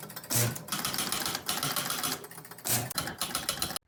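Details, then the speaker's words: Jumping Jack pinball machine, started after putting points on both players and tripping the bank relays: rapid relay and stepper clatter repeats in short cycles after player one and two resets; control bank reset loop, game never starts, cause unconfirmed. "okay so what I saw that reset that reset the the bank reset and then this started going 1 2 3 4 5 Bank 1 2 3 4 5 bank so we're past player one reset player two reset and I think they're calling this the control Bank reset"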